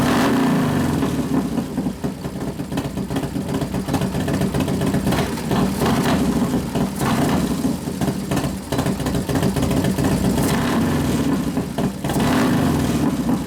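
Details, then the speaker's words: 1993 Harley FXR Evolution 89ci stroker, new build first start-up, air cleaner off: deep, even V-twin lope with a couple of clean throttle blips, warming up; idle mixture being adjusted but not very sensitive; healthy normal idle. "sounds good we got to readjust it once you put the air cleaner on yeah of course it's not real sensitive the idle mixture I keep playing with a little bit but it's not very sensitive to"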